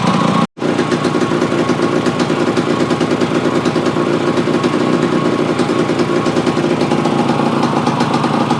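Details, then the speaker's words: Yamaha AT-1 converted to CT-1 two-stroke, first start after rebuild with wiring done, oil pump primed, carburetor problems fixed, choke on, pre-mix plus oil pump: crisp rapid crackle at even rev, no misses or rattles; normal running. "Okay guys, there you have it. The AT-1 to CT-1 runs. Sounds pretty reasonable."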